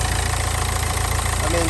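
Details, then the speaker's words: Nissan Juke diesel, very low mileage, after earlier high idle: revs have dropped nicely, steady even diesel clatter with a regular low beat, no knocks or misses, revs return when blipped; healthy idle though red engine light is on. "the revs have dropped down really nicely it's sounding like a diesel now you rev it the revs are dropping everything seems to be working as it should"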